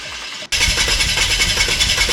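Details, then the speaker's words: VW TDI diesel in 1950 Willys Wagon on Jeep Wrangler chassis, first start after swap: catches and settles into lumpy, uneven idle clatter; runs rough, injection timing possibly off and later re-timed. "yep all right got it running it runs rough I think maybe kept ad"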